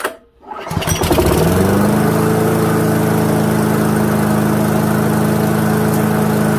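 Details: Toro lawnmower with a 159cc Loncin TXP engine (Honda GCV clone), restarted after the carburettor's plastic jet was dealt with: it fires after a short pause and settles into a steady, even run with no hunting or surging. Healthy.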